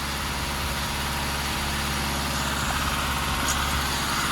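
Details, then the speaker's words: Barn-find Mk2 VW Golf just started after long storage, splutter settled: steady, even idle at unchanging pitch, no misses or knocks; sounds sweet as a nut, normal idle. "Wow! There you go, guys. That was a shock. Wasn't expecting that. The cops have spluttered a bit and fired into life. Sounded absolutely sweet as a nut."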